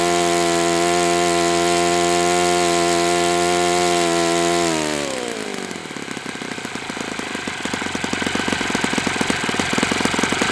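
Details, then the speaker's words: Enya 46-4C four-stroke model engine on a test stand, 11.5 prop, air bleed opened 1/4 turn: high, even buzz at full revs drops to a loose, ticking clatter at idle; owner suspects worn bearings, unconfirmed. "It sounds like it needs new bearings, which is kind of one of the things I wanted to assess."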